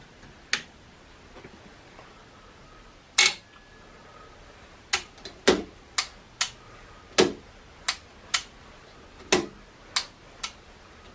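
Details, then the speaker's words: Transformer plugged in through a lamp limiter, with the range selector switch possibly not working properly: sharp uneven relay clicks, one every half second to two seconds, as the relay chatters; the owner suspects the lamp limiter is dropping the voltage. "I've gone ahead and I plugged in our lamp limiter and uh yeah we are getting a bit of action I think that relays just clicking because the lamp limits is knocking the voltage down a little bit"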